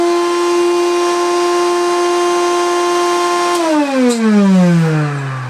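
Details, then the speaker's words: 1970s Hoover Constellation vacuum after a month's use, with carbon dust expelled and an internal clatter heard earlier: loud, harsh, strained high motor whine dropping sharply in pitch as it spins down; cause unknown. "it is a poorly poorly thing have a listen to the"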